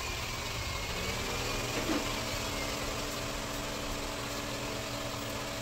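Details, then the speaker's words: Toyota Camry after replacing the ignition coil and spark plug, oil overfilled: quiet even idle with a steady low hum and no stumbling; the earlier shaking at idle is gone, running smoothly. "So yun guys, wala nang inig. Kanina nanginginig kasi kanina. Yeah! So yan guys, wala na siyang inig. Napakaganda na ng andan na tahimik na."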